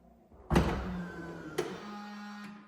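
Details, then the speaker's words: 2020 Tesla Model S Long Range Plus after replacing trunk cinch motor and latch: lid thumps shut, then a short steady motor hum pulls it down with a final click; cinch latch working properly. "but when I push this button now, and you're gonna listen for the cinching motor,"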